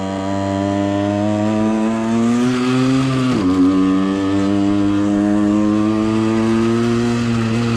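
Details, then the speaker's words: Suzuki SMX 50 two-stroke on first test ride after crank big-end bearing repair: buzzy engine revs up, drops off, then climbs and holds; high thin pitch suggests lean running, fuel dose should be increased by raising needles. "la dose de carburant devrait être augmentée."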